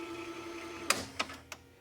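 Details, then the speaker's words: 1985 Magnavox VR8530SL01 VHS VCR on its original belts, rewind search with a full reel: an even, strong motor whir with steady tone, then a few crisp, fairly quiet braking-solenoid clicks. The transport pulls cleanly without slipping. "See, it doesn't have any problem. If I go rewind search, nice and strong."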